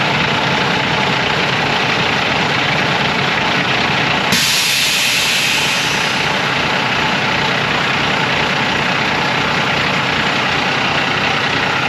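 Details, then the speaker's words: School bus DT466 diesel idling after repair, checked for leaks; steady diesel clatter with a brief air hiss partway through, running evenly; normal idle. "I'll get my tools down here and we'll crank it up."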